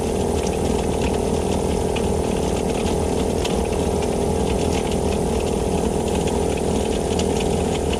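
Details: Vevor air compressor after gasket repair restored pumping: steady fast piston chatter with a constant hum as pressure builds; normal pumping, though owner suspects a bad bearing causing clacking.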